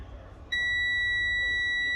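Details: Commercial truck cab during a CDL-training pre-trip inspection, with the key turned on to check the gauges before the air brake test: a steady, high-pitched dash warning buzzer comes on abruptly at key-on and holds over a quiet cab; reason not stated.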